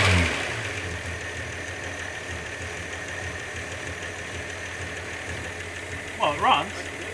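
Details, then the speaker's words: Engine first start after head gasket, reconditioned head, water pump and hoses replaced: uneven idle with faint irregular tick over steady hum, running a bit rough; possibly flooded with fuel or broken secondary, cause unclear. "no it's running a bit rough"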